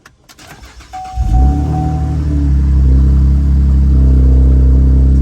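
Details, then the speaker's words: 2012 Camaro started after a driver-side HVAC blend door replacement and blend door relearn: starter whirs briefly, then a loud, deep, raw rumble; the exhaust system is not fitted yet. "Of course, we don't have an exhaust on this yet."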